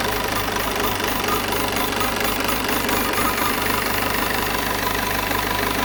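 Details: Peugeot 508 2.0 BlueHDi 180 hp diesel at idle with a steady, fairly quick light knock about three or four a second over the clatter; odd noise, cause not identified.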